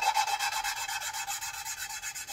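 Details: Hand-lapping valves by manual suction-cup tool with compound on a Gen V LT4 cylinder head (2017 Corvette Z07 build): quick even back-and-forth scratching whose tone changes, softening as the valve face and seat lap smooth.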